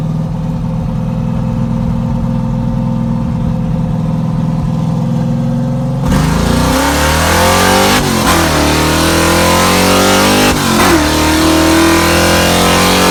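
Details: Second-gen Camaro with a ZZ430 V8 on its first test drive after a misfire was found and repaired. It pulls cleanly and evenly as revs climb through the gears, with no stumble or miss.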